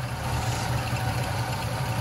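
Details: 1976 Lincoln Continental, 460 big block with 41,000 original miles, first start, fuel poured into the carburetor: smooth, even low idle with a steady deep pulse and no knocks or misses; normal idle.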